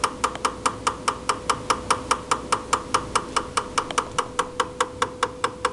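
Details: Recently purchased GE refrigerator: sharp, evenly spaced knocks about two or three a second over a faint hum from the upper-back left side of the freezer, lasting up to 2 minutes 2-4 times daily; technician calls it normal, owner disputes this.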